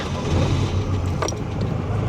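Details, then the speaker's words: Audi (year given as "190") with a recently rebuilt engine. A steady, even low rumble at idle with no knocks or ticks; judged smooth and healthy. "Әдем сылдап, сыңсып жұмыс істеп тұр ғой. Бур жоқ екен, брат."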